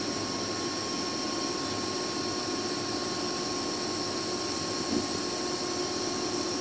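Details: 2005 Boge 40 HP variable-speed screw compressor, 480 V, 79131 run/1909 loaded hours, at max rpm rebuilding pressure after a ball valve is opened, about 68–70 dBA: constant airy roar with faint steady tones, no knocking or rattle; normal running.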